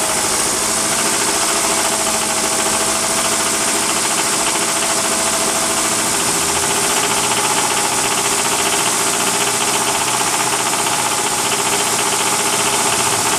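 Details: 1999 Mitsubishi RVR 2.4 GDI (4G64): irregular metallic tapping over steady engine hum at constant speed; engine knock of unknown cause.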